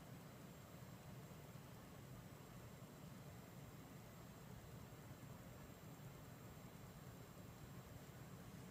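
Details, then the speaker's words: Dell Precision T7500 dual Xeon workstation after power-on: soft even airy fan whoosh with faint steady high whine, no rattles or surges; normal fan noise. "we're just going to do the power on see how loud this thing is this thing is really quiet starts off a little bit on the loud side"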